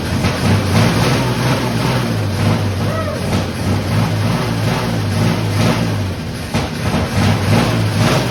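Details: Fire-damaged 1951 Chevy six, carburetor stopped leaking after it was tapped, radiator not yet fitted: steady, even low rumble, smooth unbroken idle, no knocks or misses; normal idle.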